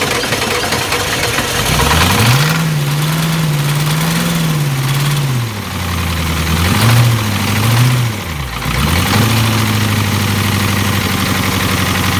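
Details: 7.3 IDI diesel after top-end rebuild, sat 11 years, running on jerry-can fuel: revved up and down a few times, climbs and drops smoothly, settles to even idle, no knock or miss; normal diesel running.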